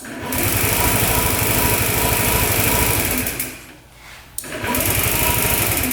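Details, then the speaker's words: 2007 Honda Metropolitan scooter on a jumper pack after reconnecting a loose positive clamp: quick even cranking about three beats a second, pause, then strong spinning again; starter turns the engine over normally, relay first suspected. "So starter is working now. I think the positive was kind of clicking on and off in there. So that relay probably wasn't working. But now you hit the start button turns over just fine."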